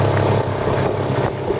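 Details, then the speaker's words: Mercury 2.2hp two-stroke outboard on a canoe at low throttle, about 6 km/h walking pace: steady, even putter with no misses or knocks, nice and relaxed. Normal low-throttle running. "It's yeah, nice and relaxed."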